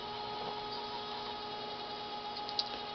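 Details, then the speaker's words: Refurbished Dokorder 8010A reel-to-reel deck duplicating a tape near the end of the reel: steady thin high squeal over a faint hum, the squeak of tape passing through the guides, which is normal; nothing wrong. "that sound is the squeak of the of the tape actually going through all the guys it has to do it's normal"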